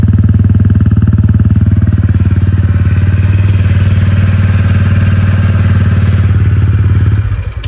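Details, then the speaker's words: TVS Ronin 225 before its 3rd service: steady single-cylinder idle at about four beats a second, with a dry rattly clatter on every beat. The owner says engine noise has increased and become clattery. "Noise கூட அதிகமா ஆயிடுச்சு கலகலன்னு ஆயிடுச்சு வண்டி. Engine noise வர ஆரம்பிச்சிருச்சு."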